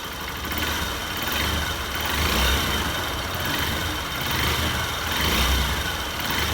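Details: Honda Bros 150 single-cylinder after engine rebuild for a knocking noise, warmed up on first start: steady idle with a gently swelling, even beat and no knocks or rattles; engine quiet and healthy.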